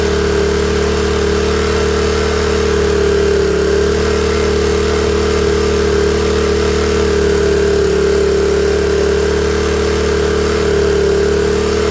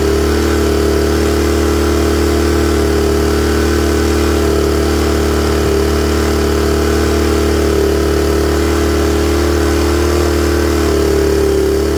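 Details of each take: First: Honda EM400 generator warming up on automatic choke: steady drone with slightly uneven lumpy beat, running a little rich until choke comes off and it clears. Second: Honda EM400 generator with automatic choke, runs a bit rich on choke until warm then clears; smooth even drone with steady hum, no hunting or misfire; normal idle once warmed up.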